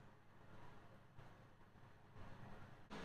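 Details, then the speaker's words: Kitchen extractor hood fan running during a homebrew boil of a honey tripel, 101 °C boil with hops added: a steady low, even whoosh of air with no rattles or rubbing. "as you can hear the hoood is on and all the conversation is going in out of the blury nice while going on"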